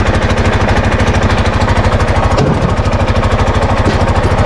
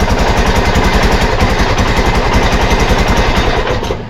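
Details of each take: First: Arctic Cat Prowler 500: loud, raspy chuffing at idle with a loose rattle, the note rising and falling with revs, from an exhaust leak and a very loose, rattling exhaust. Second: Arctic Cat Prowler 500 single-cylinder after carb and fuel repair and a new battery: steady, even idle with a loud, regular thumping exhaust beat from a loose, leaking exhaust; cooling fans kick on.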